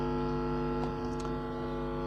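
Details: Power amplifier repaired for sound on only one side: only a steady mains hum with stacked tones, no programme; the input coupling capacitor (40 µF/25 V) passes no signal, a failed coupling capacitor blocking the channel.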